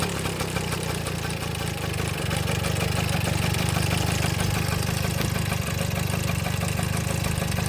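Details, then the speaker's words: 1972 Kawasaki MT1 small single kick-started on choke: ticks over at a quick even beat about three and a half pulses a second and settles cleanly; runs healthy. "That sounds nice, huh? See if I can get you guys to... Alright, not bad for a runner."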